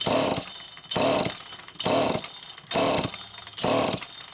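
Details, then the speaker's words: Super EZ Automatic chainsaw with deteriorated filter grommet and stiff fuel hose: five even rope pulls, about one a second, never fires or catches; not drawing fuel. "Now that is not the sign of a carburetor that's going to come to life. Man, I want to hear that thing. No, that's not drawing fuel. Definitely not drawing fuel."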